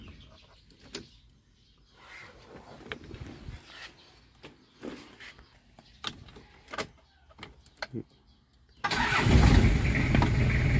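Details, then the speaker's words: Toyota Mighty X diesel pickup starting at once and settling into a steady even idle after the fault is fixed; the no-start came from no dash power, leaving the injection pump switch unpowered, once the faulty part found after fuses checked is reconnected. "ผมลองสตาร์ทดูว่าจะติดมั้ยติดละปัญหาก็มีแค่นี้ครับ"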